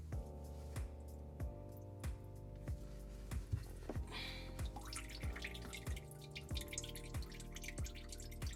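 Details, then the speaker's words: Garbage disposal under a sink after reinstall and retightening: regular soft plinks about one and a half per second as water keeps dripping at the drain; owner unsure whether it is leftover water or a leaking connection. "I don't know if that's the leftover water or not, because the water is still dripping."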